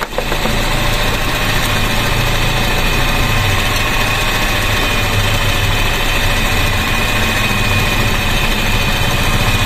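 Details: Grab taxi car with a steady, even idle hum and no shake after new spark plugs and correcting swapped plug wires to the 1-3-4-2 firing order; misfire gone, firing cleanly on all cylinders.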